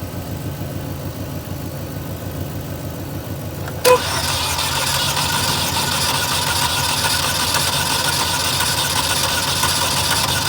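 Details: 2012 Chevy Malibu LT 2.4: the starter turns the engine over at a steady pulse, about four beats a second, but it never fires. Crank, no start.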